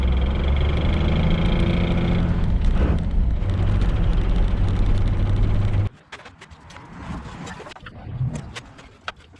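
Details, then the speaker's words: 1995 Dodge Ram 2500 Cummins 12-valve turbo diesel, 240,000 miles, NV4500 5-speed manual: heavy uneven gear rattle at idle that goes away with the clutch pressed in, from damaged input shaft and cluster gear teeth; transmission rebuilt. "The clutch in, noise goes away. Reverse 2. Just kind of started doing that the other day."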